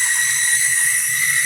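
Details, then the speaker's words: Cheap HO scale model locomotive on its first test run on track. Some pieces fell off it when unpacked. A loud, steady high-pitched motor squeal sits over the rumble of the wheels, like a dry or binding motor. "I don't know if you could hear that but it was squealing like a pig and also these pieces fell off when I took it out of the packaging"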